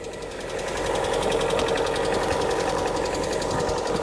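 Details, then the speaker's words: 2018 Lada Vesta 1.6, 84,000 km, cold start at -32°C, mic under the hood: fast, light metallic clatter of about four ticks a second at idle; hydraulic lifters tapping, possibly slight piston noise too. "основной микрофон слышно как разоряются гидрики слышно как небольшой перископ поршневой"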